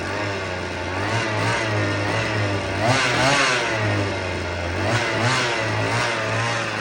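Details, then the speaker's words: Vintage black-top Husqvarna 50 chainsaw (50cc), unrun about 15 years, 80 PSI compression, likely stuck or weak rings: fairly steady buzz near 3100 rpm surging and sagging in waves; compression improving but still too weak for cutting. "The compression's getting a little bit better, but you know, nothing that we're going to go put out in the wood."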